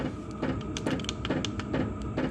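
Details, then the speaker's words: 5kW MaxPeedingRods diesel heater running 25 minutes, set to 20°C with the workshop at 24°C: crisp regular ticks about twice a second over a low fan hum. This is normal, even fuel pump clicking. "So that's the heater in a nutshell. You can hear it clicking in the background."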